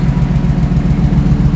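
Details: 1968 Ford Bronco, warming from 187°F; fan switched on at 195°F cylinder head temperature; even, low idle with steady beat, fan whirr barely separable, no ticks or misses; healthy warm idle.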